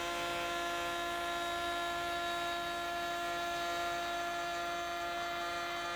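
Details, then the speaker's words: AEG MF 1400 KE router (same as Ridgid R2930), bought 2017, after replacing both bearings (main bearing was worn): steady high whine with even pitch, no rumble or rattle; works as well as it used to. "and now the router is finally back in action and it works as well as it used to"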